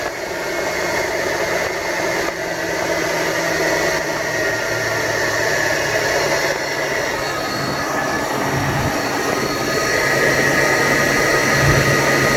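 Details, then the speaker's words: Toyota 4Runner 5VZ-FE V6 at idle with AC and power steering belts removed, only alternator belt fitted: constant high whirring persists; alternator bearing noise. "all right as you guys just heard sound is still coming like there's no that sick of some sort of pulley or it's a bearing or something that is not lubricated or without any grease"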